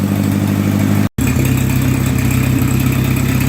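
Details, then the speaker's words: Oliver 550 gas tractor after wiring, clutch safety switch, alternator and ignition repairs: an even, steady idle with a low thump about twice a second, no hunting or hissing, as the vacuum leak appears fixed. "And the engine has actually settled down to somewhat of an idle without turning any screws or anything. So I guess we fixed our vacuum leak problem."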